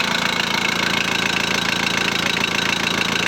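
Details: VW Transporter T4 1.9 TD diesel at first fire after reassembly, with cam followers replaced to cure a rattle: even clatter at a steady idle, about two beats a second, no rattle or knock; runs smooth and healthy.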